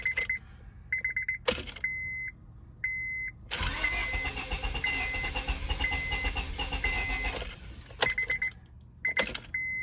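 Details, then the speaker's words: 2002 Honda Civic that stood for months after it would only click: chime beeps, then several seconds of steady cranking that never fires. Owner suspects lost fuel pressure, possibly rat-damaged fuel lines, and is trying starting fluid. "it wants to start but it's not starting so we'll check it but at least it's turning over"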